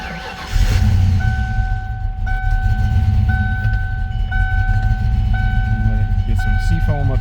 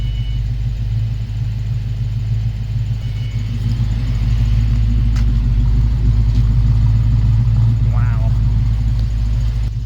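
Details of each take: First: 1993 Mustang Cobra V8 field find, sitting 20 years, head gasket previously done with ARP head bolts; rumbles unevenly at idle under a chime repeating about once a second; owner suspects stuck or clogged injectors or timing: rough running. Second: Project Frankenstang V8 after Seafoam treatment and several revs: deep, even rumble holding a steady beat with no shimmy, shake or skip, a clean smooth idle.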